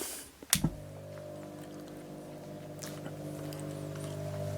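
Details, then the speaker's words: Leslie 910 rotary tremolo reverb speaker during a fast/slow motor test: a click, then a steady low hum-buzz for about four seconds, then another click. Owner suspects the lower rotor trying to turn when it shouldn't; the buzz stops after switch-on. "a bit of a buzzing when you turn it on initially. I think it's from the lower rotor trying to turn, and it shouldn't be."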